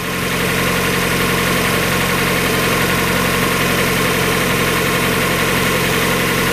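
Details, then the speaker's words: 1994 Mazda Miata, about 56,000 miles, first start after replacing the timing belt, water pump, radiator, hoses, thermostat and seals: even, steady four-cylinder idle with no knocks or ticks, sounding better than ever. "I think sounds better than it's ever done before"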